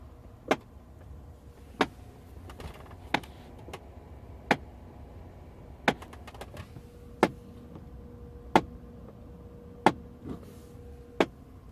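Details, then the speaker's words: 2008 Audi A6, ignition just switched on: sharp, evenly spaced clicks about every 1.3 seconds from under the dash for a few seconds, a faulty HVAC flap actuator. "so that clicky noise or tapping noise is one of the uh hwac flaps I don't know which one is yet"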